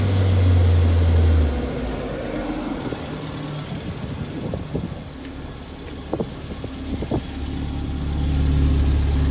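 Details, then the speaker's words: Austin Allegro after oil and coolant service, warm and bleeding air from the cooling system: engine idles evenly, dips, then picks up smoothly with no tapping or squeal; normal running. "Sounds a lot better than it did."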